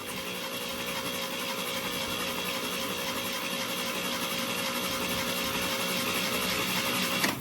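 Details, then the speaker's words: 1962 International Harvester C-100 six-cylinder, cranking on the starter with plugs out after oiling the generator's oil cups with 0W20: steady fast even churning, no harsh generator whine, quieter now; oil is being pumped; normal cranking. "Just for grins, let's see if that helped any. Quieter right now."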